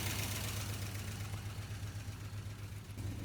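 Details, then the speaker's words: 1980 Dodge Power Wagon parked 20 years, just restarted and warming up off fast idle: a light, steady tick about four times a second. Hopefully the lifters will quiet down. "Hopefully them lifters are gonna quiet down after a little bit."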